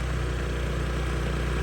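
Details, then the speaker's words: Honda Metropolitan scooter that wouldn't start after sitting, idle screw turned all the way up and air partly choked: small engine runs fast and steady, now holding a raised idle instead of dying. "So I got the idle turned all the way up, and then I'm playing with this, choking the air a little bit."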